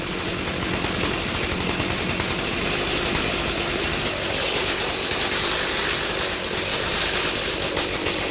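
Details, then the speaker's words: 2003 Stihl MS 290 Farm Boss chainsaw, 56.5cc, reassembled from parts after cleaning clutch and air housing, started on choke/start setting: high, even two-stroke buzz holding steady without surging or misfiring; runs cleanly. "Hopefully it sputters. Sounds good to me."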